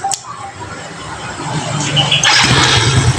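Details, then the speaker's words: Yamaha Jupiter Z that was hard to start cold in the mornings, after the carburetor was taken apart, engine still cold: cranks briefly on one press and catches at once, settling into a steady, even low rumble. "guys motor pun satu kali pencet ini enteng banget langsung tur langsung nyala"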